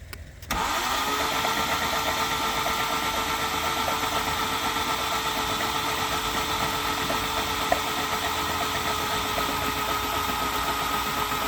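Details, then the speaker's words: Turbo Honda Civic D15 cranked with spark plugs out after mods: quick even starter whirr with no compression and coolant spewing from every bore; hydrolocked from coolant in the cylinders, the head gasket pushed out of place and a sleeve cracked. "Okay, so it definitely hydro-locked. All the sleeves looked like it had coolant in it."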